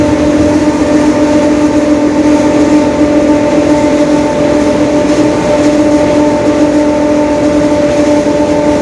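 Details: 2021 Marcopolo Torino S bus on Mercedes-Benz OF-1721 Bluetec 5 chassis, extended urban service: steady droning low-mid growl under road rumble while cruising; differential growl.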